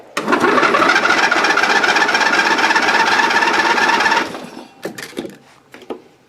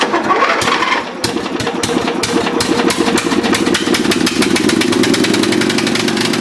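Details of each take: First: Dynamark riding mower after carburetor cleaning, new gasket, and fresh gas: small engine fires and buzzes unevenly for about four seconds, then cuts out and coughs to a stop; runs rough, then stalls. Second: Dynamark riding mower after carburetor cleaning: quick cranking clicks, then it catches and settles into a steady, even putter with no misses; clean start and healthy idle.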